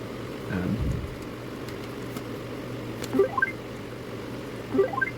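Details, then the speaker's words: iRobot Roomba 650, unused for about 4 years, with a new replacement battery, docked on its base showing a yellow light: two short rising chirp sequences a couple of seconds apart. The error tone sounds only when docked, cause unknown. "Alright, so it's making the same noise that it was making prior. But it wasn't making that noise while it wasn't on the base. So that's different. So there was no noise until it was on the base."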